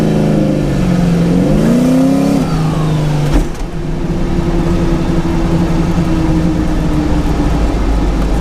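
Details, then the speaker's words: Mazda RX-7 street build on test drive: revs climb cleanly through the gears with smooth rising tone, quick dip at shifts, even cruise; runs healthy, temperature stayed below 168°F cruising, creeping to about 175°F stopped. "Made it to Pops' place. Thing ran great."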